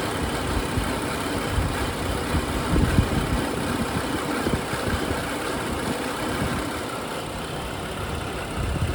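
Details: 2011 BMW 535i F10, N55 engine, about 109,400 miles, at idle: smooth even idle with loud direct-injection injector tick, no timing chain slap or rattle; healthy.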